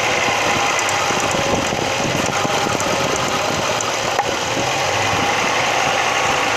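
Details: Audi 100 2.3 (NF engine): fast, uneven metallic knocking, about three per second, at around 3000 rpm and above, heard more clearly under load; source not identified.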